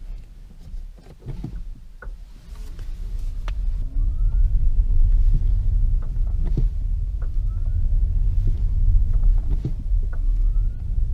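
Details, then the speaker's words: 2015 Nissan Leaf driving on the flat: sharp single clicks from the front axle over quiet road rumble when switching between throttle and coasting/regenerative braking, caused by a dry stub axle and hub nut working loose. "as you come from coasting or regenerative braking onto the throttle or if you let the throttle off and you go onto regenerative braking particularly if the vehicle is on the flat you hear a click"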